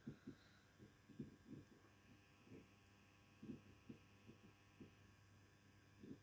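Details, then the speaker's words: Power Walker Basic STL 1000 (600 W) home UPS running a NAS on battery: the constant high-pitched ~10 kHz noise has largely abated, leaving a faint low hum with soft irregular thumps and no sharp whine; normal. "So the actual high-pitched noise seems to have abated a little bit. It's not really there anymore. It's a little bit there, but it's nowhere near the size it was. There's a little hum, but that's quite nice."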